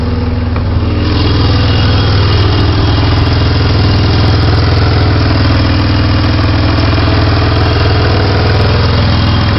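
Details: Loud, even idle with a raspy, puffing exhaust note and no knocks; owner suspects an exhaust leak around the manifold-to-catalytic-converter joint, or wonders if it is normal.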